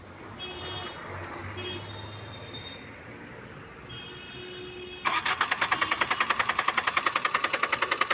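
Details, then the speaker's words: Tata Indigo ECS Dicor diesel during injector back-leakage test, starter churning the engine at an even three and a half beats a second with no catch; cranks but will not start. "गाड़ी round ले रहा है, गाड़ी round ले रहा है।"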